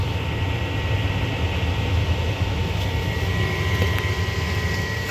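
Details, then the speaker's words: 70,000 BTU upflow Lennox furnace, no-heat call, doors off: steady inducer hum with thin constant whine, no flame follows; fault code shows pressure switch failed to close or reopen, stuck diaphragm. "Right now, just my inducer is running. No flame."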